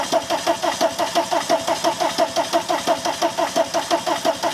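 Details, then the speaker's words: VW camper van after TDI diesel engine swap and new harness install, fuel primed; even starter cranking, roughly one and a half compression beats a second, no firing at all: crank, no start. "and I mean realistically it should be starting by now if I just need a shot of an easy start or something like that"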